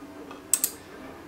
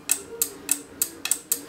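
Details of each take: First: Three sharp dry clicks over a quiet hum from an Arduino-driven dual relay in a JBC solder station adapter, switching power as the iron leaves the stand; normal relay clicking, relays flick very quickly. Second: Relays in a JBC soldering station mod switching on a roughly 200 ms timing, giving six sharp dry ticks about three per second as the handpiece touches the stand; clicking is only noise and does not affect operation.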